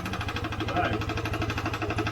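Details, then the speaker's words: Vespa ET4 scooter built from a box of eBay parts: a small engine idles with a fast, even sewing-machine chatter over the low beat; it sounds rough, with the cause unclear and the exhaust possibly suspected. "sounds more exhausting sure that sounds more exhausting than it does yeah that's a sewing machine that's the noise that's happening"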